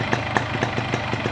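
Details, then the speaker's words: 2003 Yamaha RX King two-stroke with a 25-oversize piston fitted only yesterday, miked at idle during a pre-purchase check. Steady crackling idle with soft, fairly even pops and no harsh rattle, fairly smooth for an RX King. Excessive roughness would indicate worn rings or piston. Normal idle. "Ini masih oversize 25 baru naik kemarin, jadi agak lumayan halus ya untuk kategori Eriking. Suara seperti ini udah lumayan halus."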